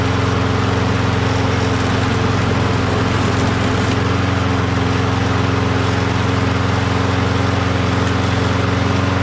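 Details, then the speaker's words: Self-propelled walk-behind mower stored about 6 months, primed before starting: steady even single-cylinder drone with no surging or hunting, speed holding firm; starts right up and runs very well. "Awesome. As you saw, started right up, doesn't surge, runs very well."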